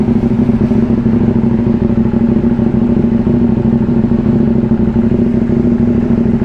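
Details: KTM Duke 790, about two years old, just after fitting a new Crank 1 AGM battery (12.4 V) and starting on one touch: twin settles into a steady, even idle with a constant low tone and no misses or rattles, engine warm; normal idle.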